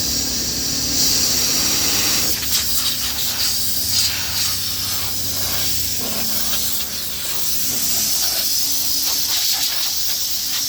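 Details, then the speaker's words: Small CO2 refrigeration rack, isolated section being degassed before drier cartridge replacement: steady high-pitched gas hiss easing slightly as pressure drops; controlled CO2 venting, nothing abnormal. "donc on va dégaser cette partie là là on va la dégaser pour qu'on puisse manuter dessus à tout de suite"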